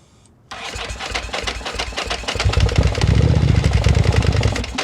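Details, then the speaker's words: 2000/2001 Ducati Monster 900, long-sitting, with a new fuel pump: won't start on fuel injection, but catches on gas squirted into the throttle bodies and runs unevenly with a loping beat; Power Commander or dead injectors suspected. "All right, so it wants to run. So, we're not sure if it has something to do with the Power Commander or if it has something to do with the fuel injectors just being completely toast, but it sounds pretty good."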